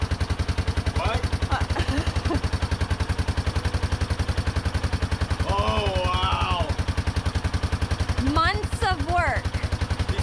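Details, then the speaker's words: 1989 Yamaha Moto4 350 ATV after budget rebuild, first start once firing issue fixed: starts right up into steady even single-cylinder thump about 3.5 beats per second, no misses or knocks; some smoke expected as new engine heats. "fast that started right up it was just nice job buddy"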